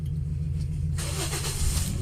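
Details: Toyota Vios 2010 after radiator and AC condenser replacement and clearing a cam position sensor circuit code: quick catch on the starter, then smooth even rise in revs with no misses or knocks; starts and runs fine.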